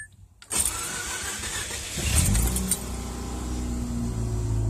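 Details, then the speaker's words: Car after installing T-ReX ignition coils and resetting the computer, warmed up then shut off: starter whirs about 1.5 seconds, engine catches cleanly into a steady even idle; starts about the same, better when hot, no longer floods. "The car feels all around better. It still starts about the same. It starts better when it's hot, actually, than it did."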